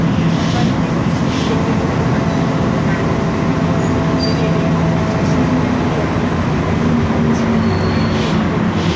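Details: 2012 BMC Belde 285CB bus with a Cummins ISBe 6.7 Euro 5 turbo diesel and ZF Ecomat 6HP504C 6-speed, heard from the cabin while cruising: steady drone with a faint constant whine; noisy rear differential.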